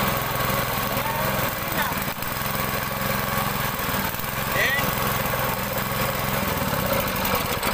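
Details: Honda GX200 small single-cylinder engine with water pump, earlier a no-start: steady even run with low chug, no misses or hunting; now running normally.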